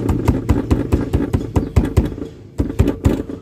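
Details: 2021 Volkswagen Tiguan (latest facelift), front door squeak heard with the window open, not present when bought: a quick series of sharp, dry clicking creaks at an uneven rhythm, something loose and rubbing; the owner suspects loose bolts inside the door, unconfirmed.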